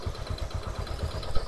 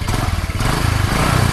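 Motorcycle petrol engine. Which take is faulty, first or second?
first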